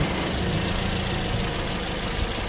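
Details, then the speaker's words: Car AC compressor engaged at idle: an uneven, scraping rumble as the clutch slips and catches without the proper engagement clack. The clutch plate is cracked and broken with no air gap; clutch, pulley and belt are being replaced. "Yan oh. Yun yun yung umiingay oh. Sumasabit-sabit."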